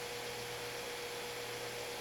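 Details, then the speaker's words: Ordinary household fan run on modified sine wave output of an APC Smart UPS 1500 converted to inverter, running off battery: fan slows and its motor makes a harsh, steady buzz, converting harmonics to heat instead of rotation. "And that's not the inverter, that's the fan making that noise. And what's going on is the fan motor in here is unhappy, basically. It wants a sine wave, it's not getting it,"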